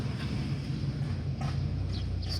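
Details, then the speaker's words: Test drive after replacing the lower ball joint to cure a noise when turning the steering wheel: only low steady road rumble while turning, no clunks or creaks; front end now quiet, no rack and pinion needed. "ahead and make some turns here no noise at all and the owner of the car was ready to throw a rack and pinion at this thing no need for all of that just the ball joint"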